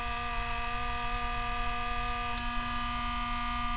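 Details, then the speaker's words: MSI MS-16Q2 gaming laptop at power-on, before CPU fan replacement. A constant raspy, ringing buzz at steady mid pitch as the spinning fan blade scrapes its metal housing, grinding; fan blade scraping. "so the fan is spinning scraping on the blade of the blade is gripping the metal and this is what exactly is happening right now"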